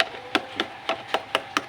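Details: Seven clean wooden knocks on the AJ Bluetooth/MP3 speaker cabinet, about four a second, with no crackle or pop, after all pins were resoldered to fix noise and crackle from the right speaker when moved.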